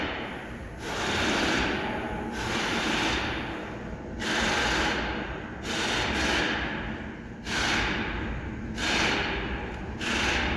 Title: Kia Random misfire problem #autoelectrician #mechanic #hyundaicars #mechaniclife #shortvideo